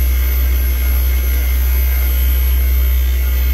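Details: Daikin "Rebel" package VRV unit on a hot rooftop, inverter compressor ramping with rpm bouncing and vibration; heavy low droning hum with faint high whine, no clean steady run; failing inverter compressor.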